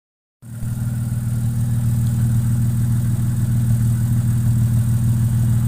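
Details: Jaguar 420 after replacing a valve shim/tappet bucket to fix a tappet knock: smooth even idle with steady low burble and no ticking; valvetrain quiet, tapping gone.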